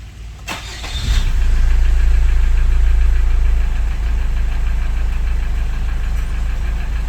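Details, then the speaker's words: 2011 Chevrolet Captiva diesel facelift after repairs: it previously needed long cranks, sometimes two attempts, with idle at 1200 rpm; now a short crank fires at once into a steady, even idle with no stumble. "Nah sekarang udah kembali normal, dengan sedikit sentuhan aja mesinnya udah menyala."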